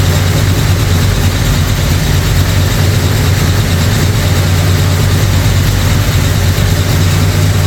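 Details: Brand-new 445 stroker FE V8 in a 1962 Ford Galaxie on its first break-in run. Deep, even fast idle with a faint clatter: a lifter or two needs adjusting, and timing is off. Oil pressure and water temperature are good.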